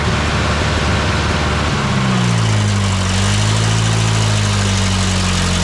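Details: Old tractor with the carb adjusted until it ran well: the engine catches and settles into a steady, even low idle with no misses or knocks. Normal idle.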